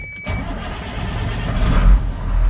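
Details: Diesel truck cold-started with the hood open after sitting unused since about November 2022 (roughly six months), after the intake heater cycle: a brief crank catches almost at once and settles into a steady diesel rumble. Normal cold start.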